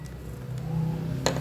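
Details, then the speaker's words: Motorcycle electric start slipping: starter whirs freely with a low, slightly rising hum and metallic clacks but the engine never catches; cause found as the starter clutch plate's rollers with broken springs. "Aí pessoal quando vai dar na partida da moto a moto desliza a partida desliza livre como se fosse motor de partida ali que tivesse Livre é É só girando livre"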